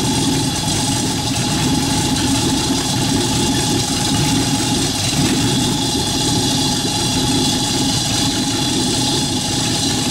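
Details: Rat rod truck engine idling, driving converted York AC compressor pumping air for airbag system, pressure switch set about 85-100 psi: smooth even idle with steady hum, no knocks or rattles, compressor pumping; normal idle.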